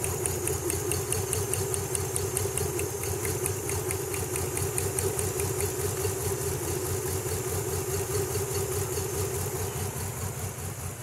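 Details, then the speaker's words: Nissan Z31 with bad fuel, plug leads pulled one at a time: lumpy idle loping about twice a second barely changes on cylinders 1, 2 and 6, which are dead; 4 works; stuck injector suspected, plugs to be cleaned. "all right so number two is not doing too much let's see about number six nope"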